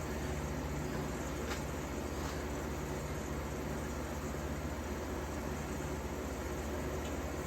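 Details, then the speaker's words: 1953 Fedders Weather Bureau room air conditioner with Tecumseh S-type compressor, after electrical upgrade and service, just plugged in; smooth steady compressor hum with even fan air and no knocks, already blowing cold; normal running. "Anyway, without further ado, plug her in and see what she's got. Man, that sounds beautiful."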